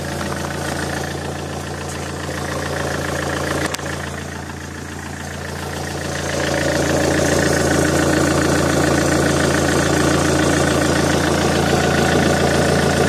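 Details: Alfa Romeo GT 1.9 JTD diesel, ticking near the common-rail pump that began after a turbo replacement and grows louder each km; steady ticking about three to four per second at idle following engine speed; exhaust manifold leak checked and ruled out; source unidentified.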